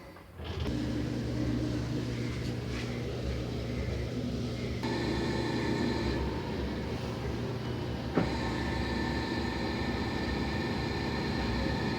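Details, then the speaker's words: Decade-old LG washing machine during wash: steady, heavy low rumble with faint motor hum, present since a technician's descaling service after a coin got inside; worse with clothes, also on spin; technician called it normal. "ese ruido es desagradable descansa y después suena horrible como si algo se estaría desinflando no"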